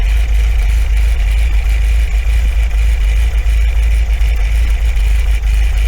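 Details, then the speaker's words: 1980 MGB after a timing and carb balance and mixture tune-up, air cleaners refitted: deep, steady idle with a faint lope from the camshaft and no knocks or misses; normal idle, with CO reading slightly rich. "you always get that slightly uneven idol in these because of camshaft and stuff like that and just the way they are you know i mean so to be honest with you that sounds spot on to me"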